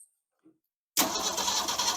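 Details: 1969 Ford Falcon parked since 1985, first revival attempt, ignition on: starter spins the engine at an even cranking rhythm, checking for spark, but it never catches; cranks without starting.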